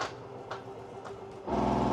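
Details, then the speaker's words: 2025 Forest River Salem 22RBS travel trailer slide-out fully extended, switch held: soft repeating clicks about every half second then a steadier hum, normal clicking as the two top motors resynchronize, not damaging gears or motors. "So you hear that click? That is not damaging the gears or the motor. That's going to keep both those motors in synchronization for you."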